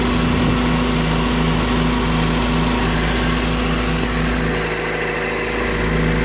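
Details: Mazda Miata with recently swapped SNC engine, new clutch, throwout and pilot bearings, temporary intake: at idle, a loose uneven rattle two to three times a second in the engine bay; source not found.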